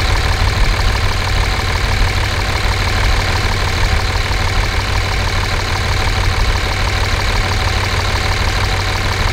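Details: 5.9 24-valve Cummins diesel, warm, check engine light on from an unplugged CP3 fuel control actuator: steady, even idle clatter with loud open-exhaust drone and no distinct tick; manifold temperatures within about 10 degrees, healthy idle.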